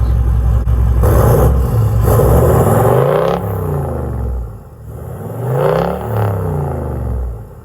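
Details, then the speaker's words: Engine started after the catch can was serviced to cure blue smoke: deep diesel rumble sweeps cleanly through several hard free revs with no knock or misfire; only black smoke appears, so it sounds healthy. "Yeah, give her a real good rev. Beautiful. Beautiful."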